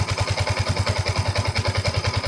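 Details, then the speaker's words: Yamaha Y15 motorcycle, 14,597 mileage, after basic top set (valve clearance adjustment) fixing loud tappet ticking: even soft regular firing pulses at idle, no tappet ticking; quiet normal idle after repair. "Jadi kalau selepas buat top set, apa yang dia akan rasa? Senyap lah."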